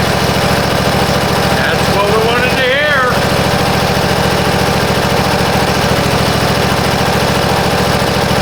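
Engine catches and settles into a steady, even putter with no misses or knocks; it is idling normally.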